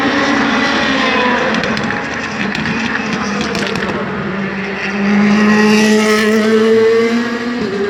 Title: DTM 2017 V8 Misfireing